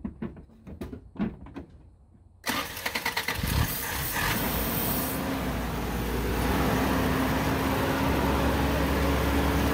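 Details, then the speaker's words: 1987 Toyota 22R pickup after work on the bad distributor cap contacts; the cap contacts and rotor are thought to have been limiting spark. It cranks, catches and idles with an uneven, wandering beat; still rough. It may need a fuller tune-up. "still having issues with the idol but thinking it might just need a more of a tune-up"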